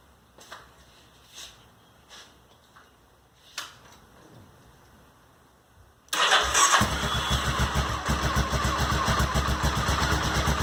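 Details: Honda SuperHawk 996 (VTR1000) V-twin just reassembled, fresh coolant: a few quiet clicks, then it fires at once and settles into a steady, lumpy idle with even pulses; normal start, though coolant climbed quickly to 102 and smelled hot.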